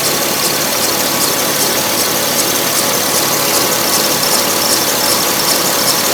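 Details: Porsche 997 S pre-facelift, 2006, 53,000 km, idling: fast light ticking about two and a half per second over a hissy, high-pitched idle; sounds off to the owner, cause unclear.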